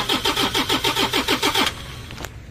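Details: Toyota Innova D4D diesel that won't start after a dog chewed the injector driver wiring, before fitting a new injector driver module: steady starter cranking at about six pulses a second, no catch, then it stops.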